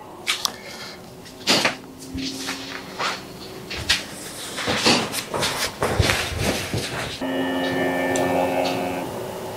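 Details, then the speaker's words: Creality Ender 3 V3 KE with an add-on USB-C ADXL vibration sensor on the extruder, running the X-axis resonance test: scattered knocks and rattles as the head moves, then steady buzzing tones as the head is shaken. "Là, il fait détection des vibrations de l'axe X en cours. Là, il commence à bouger la tête."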